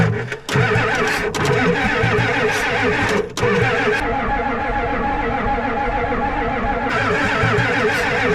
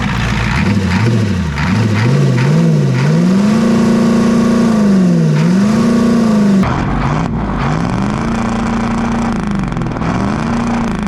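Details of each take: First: Ford 7.3 IDI diesel being revived, glow plugs switched off, cranked over long bursts: even starter cranking with no firing and no smoke seen. It won't start because the glow plugs get no power. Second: 7.3 IDI diesel just revived, running after more glow plugs; air in the fuel system suspected. Clatters with speed repeatedly swelling and easing back, then settles at a raised idle; the fast idle still works normally.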